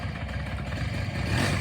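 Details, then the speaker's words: 1983 Honda PA50II 50cc two-stroke moped, first start in three years after looping the CDI wire to restore spark: quiet low putter picking up slightly, running steadily on its own; normal running. "oh it's going yeah wait it's going it's so quiet I didn't even hear it we have a living motor in this thing holy cow"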